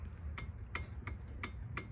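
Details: Polaris Ranger 570 cylinder head removed and inspected on the bench: five sharp metallic ticks as the valve is worked by hand; the strange engine ticking is traced to a weak, not broken, valve spring.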